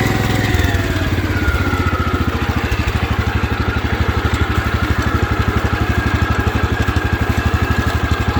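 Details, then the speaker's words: 1972 Wheel Horse Raider 12, revived after 15 years in a shed: steady, even low thudding single. Governed running is normal with no surging. "We'll go up this little hill right over here, and you'll see the RPM will drop, but then it'll come back up, you know, because the governor's taking over."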